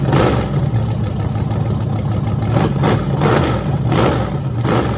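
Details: Freshly rebuilt small block Chevy 350 (355) for an OBS Chevy truck, on an engine run stand with open headers: even lumpy idle with clean crisp throttle blips, no knocks or ticks. Normal idle and revving.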